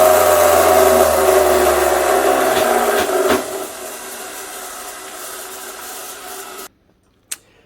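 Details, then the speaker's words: Italian Pegasus floor edge sander motor before repair: howls, sags, then winds down after a final snap; sparking worn brushes, plus failing bearings, with the motor then refusing to start. "right that sounds all kinds of bad it's not just brushes sounds like bearings as well"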